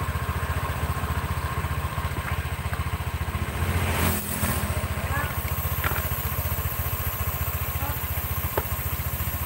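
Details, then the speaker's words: Red Honda Vario scooter after CVT repair: even, regular low putter at about four beats a second at idle with no rough rattling; CVT now smooth. "Oke Bro ini suaranya sudah halus ya enggak kedengaran kroyok proyek-proyek gitu"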